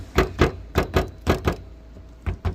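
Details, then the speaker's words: Car front end, noise persisting after suspension and calipers were checked: sharp hollow clunks in quick pairs each time the closed bonnet is tapped; free play in the bonnet lock, needs insulating or adjusting and tightening. "സംഭവം വേറൊന്നുമല്ല, നമ്മുടെ bonnet അടഞ്ഞിട്ടുണ്ട്. പക്ഷേ ആ local കയറിയിരിക്കുന്ന സമയത്ത് അവിടെ ഒരു free play വരുന്നുള്ളതുകൊണ്ടാണ് ഇങ്ങനൊരു പ്രശ്നം വരുന്നത്."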